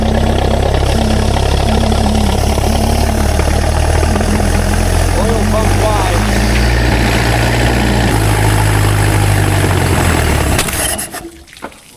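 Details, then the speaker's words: Rare experimental four-cylinder big-block engine, first run in 15 years: rough lumpy run with a loping beat near four per second with throttle held open, then backfires and stalls; ignition timing too advanced, needs less. "I don't know, I was holding the throttle open and it just stalled. Backfired and shut off. It needs less timing."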